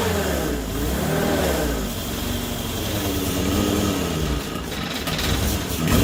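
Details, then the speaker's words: Morris Minor 1000 van at first run after a Judson supercharger install: revving with a loose, busy supercharger rattle and a raspy intake rush as the single-barrel carburettor sucks air hard. "well that's a whole new cacophony of sounds wow that i have never heard before but i've been told that this thing was gonna be noisy and it is it's very rattly and you can also hear that poor little one barrel carburetor sucking air like crazy"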